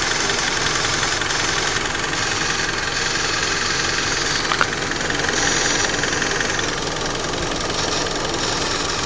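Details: Mitsubishi Lancer idling with an irregular, fairly fast light ticking over a bright hissy background; abnormal engine noise, cause not identified.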